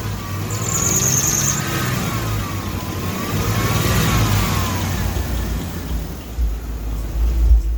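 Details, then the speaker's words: Mini truck after water pump pulley replacement, coolant temp around 142–143: engine revving with a wavering high squeal rising and falling with speed; owner suspects the power steering pulley or belt, unconfirmed. "but it's running besides that little squeal which i think actually i'm already going to replace anyways but i think it's the power steering bullets making that noise from where the noise is originating from"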